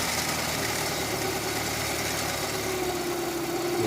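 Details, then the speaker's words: Chevrolet Optra 1.6 brought in for stumbling, surging idle and stalling, restarted after the front pulley was refitted: even, steady idle with a constant hum, no stumbles or surging; normal idle. "เวลาครับการแล้วมันก็จะนิ่งขึ้นนะครับมันจะไม่กระตุกไม่อ่าไม่สะดุดนะครับมันจะนิ่งไปรอบข้างก็คือสีเสื้อนะครับหรือเครื่องมีปัญหาอยู่นิดหน่อย"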